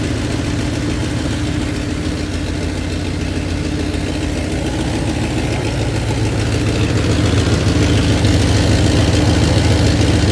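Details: 1993 Dodge Ram D150 with a 5.9 L (360) Magnum V8, which had quit while running and would not start, now warmed up: deep, steady, even idle with no knocks or misses, sounding healthy.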